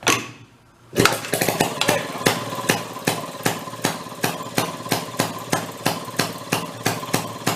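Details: 1937 Maytag 92 two-stroke washing machine engine from flea market, previously non-running, now kick-started on bench: sharp regular firing pops about two to three per second, clean even beat; running properly. Normal running.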